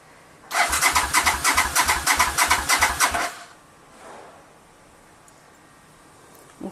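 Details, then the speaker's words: 1985 Honda VT500 motorcycle after engine rebuild, first start attempt on choke, mufflers off: starter cranks steadily about three compressions a second but never fires; suspected to need more time for fuel to reach the carbs. "but I mean I heard the engine crank up and it sounds good so I'm just gonna let time for the fuel flow to the carbs and I'll start it up in a time right now"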